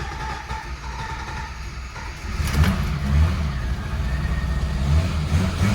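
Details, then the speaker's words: 1987 BMW E30 325iS with an M20B27 SuperETA bottom end (2.7) and ANSA sport exhaust, first engine start: low lumpy idle that barely holds; owner suspects an AFM vacuum leak or the standard 15-lb injectors. "well i'm not sure if that's afm vacuum leak or if that's just the fact that i'm running a 2.7 with the standard 15-pound injectors"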